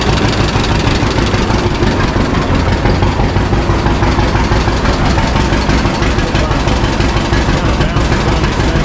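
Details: 1952 John Deere G two-cylinder tractor just started after about four years stored, after refuelling the correct tank and fixing leaks; slow loping putt about three beats a second, steady with no knocks; owner says it always idled down really well: healthy idle.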